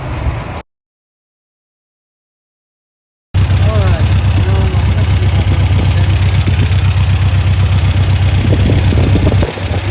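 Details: 1987 Toyota pickup 22R four-cylinder, carbureted, after fixing vacuum leaks and replacing the fuel pump, while setting timing at 950 rpm idle: steady, even low thrum with no misses, knocks or ticks; warm and idling cleanly.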